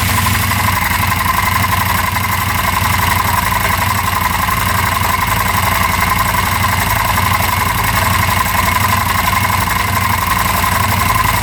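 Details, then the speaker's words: 2016 CFmoto Zforce 800cc UTV, early runs after slow-cranking troubles: steady idle carrying an uneven knocking rattle about four times a second, gone when revved and later went away; unusual idle noise with no clear cause. "has that weird noise at idle. Otherwise, I don't hear anything when you rev it."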